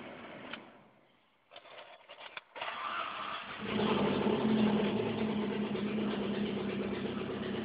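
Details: 1988 Saab 900 Turbo, cold morning start: quiet stumbling, then it catches and runs unevenly with a light, fast tick about three per second; hard starting, dies repeatedly, and valves are noisy; cause unknown.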